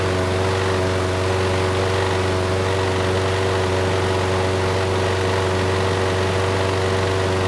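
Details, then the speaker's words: Craftsman mower, Briggs Quantum 128T02, after removing a nest and fixing the auto choke vane: a steady, even low drone with no surging and an occasional faint stumble; the choke now turns off and it runs well. "thank you that was much better the choke sounds like it is turning off now the engine is running well"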